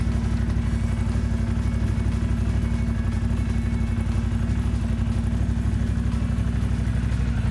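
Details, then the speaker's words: 2002 Ducati Monster 750 after oil change with 3 quarts and AMSOIL filter, cold on choke, Remus exhausts: even lumpy beat about four pulses a second, deep exhaust, no knocks or rattles; healthy cold idle. "Well, I'm looking at the window, and after those 3 quarts, it looks happy."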